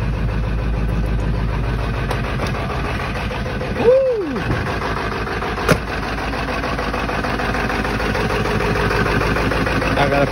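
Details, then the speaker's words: 1997 Ford F550 7.3 Power Stroke diesel, cold start after sitting three weeks, very cold: steady, deep, even idle with no knocks or misses; sounds healthy, like brand new. "three weeks sitting sounds like brand new"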